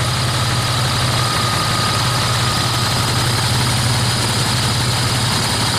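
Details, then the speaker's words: 1999 Dodge Dakota 3.9L V6 Magnum after idler pulley replacement (old bearings missing): steady, even idle with smooth low rumble and no squeak or chirp from belt; accessory drive healthy. "looks like it's running all right"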